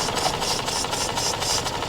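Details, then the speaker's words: Auction-bought Mazda RX8 rotary, cold start, idling about two minutes with idle dropping: uneven idle with a faint regular light tap about four times a second; cause unclear. "sound. And there's also like a knock. A very light, like a tap. I don't know. So 2 horrible noises that probably shouldn't be there."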